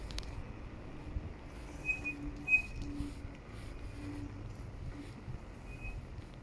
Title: Kukirin g3 pro rear brake noise no2